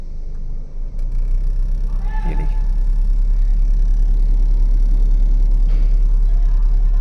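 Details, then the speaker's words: Car idling, AC switched on: engine grows heavier and rougher, vibration felt in steering, brief chirping "chee chee" squeaks that stop when pressing at one spot; smooth with AC off — cooling fan squeak and vibration with AC on, fan was the problem. "इस position से मतलब इसका चीची चीची करके आवाज़ भी हो रहा है। ये देखिए सुनिए वाइब्रेशन का।"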